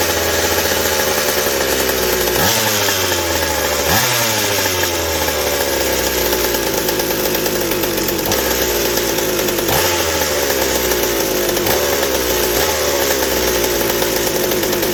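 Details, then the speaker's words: McCulloch 790 chainsaw with MC101 kart engine, new header and pipe, first fire-up: high screaming revs with ragged sharp blips at full throttle, can't reach four-stroke note; carb can't feed enough fuel at high speed, lean. "not quite the high speed response is lacking still and it isn't it just isn't able to feed enough at the high speed to just hit that four stroke note to where i can back it off so the carb just isn't able to deliver enough on that high speed"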